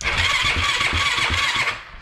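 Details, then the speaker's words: Yamaha YFZ450 ATV after top-end rebuild (engine had water ingress): starter spins engine briskly with even compression pulses about three per second, then winds down cleanly; electric start now works after a loose switch was found and reconnected. "Okay, we figured out our problem now, guys. It was simple. It was just this little switch that came off."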